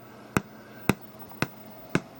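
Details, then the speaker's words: Galaxian arcade PCB powered through jumper cables at 5 V and 12 V, JAMMA power disconnected, after coin-up: sharp evenly spaced speaker pops about two a second over a faint steady hum; speaker popping noise. "And we will coin up, and you can hear that popping noise."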